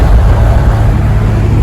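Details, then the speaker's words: Nissan Skyline R33 running after replacing its 25-year-old fuel filter and installing an HKS Super Power Flow air filter: deep, even rumble with smooth throaty intake note, no knocks or rattles; owner says it sounds far better. "Alright, so I am very pleased with the results. It sounds 100 times much more better."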